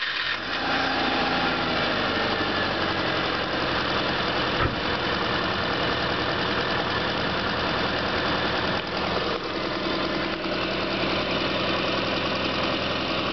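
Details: Subaru EJ22 flat-four with 235,000 km at idle: a faint, fast, light tapping runs through the exhaust note. Owner suspects piston slap; this is unconfirmed.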